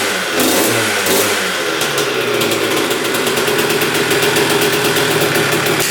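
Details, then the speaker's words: 2001 Honda CR125 two-stroke after rebuild and throttle cable fix, seller had left throttle held open: crisp ring-ding blips up and settles into steady, even high buzz, no misses or rattles; fired right up, healthy. "Well, that sounds pretty darn good. It revved to the moon right when we started it up."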